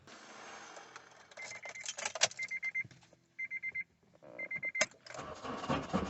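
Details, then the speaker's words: Car with original starter, no crank with battery at 12.7-12.9 V: keys and door chime, then after tapping the starter with a hammer a click and the engine fires and runs; likely starter problem. "you turn and it starts so it's the uh starter problem i believe"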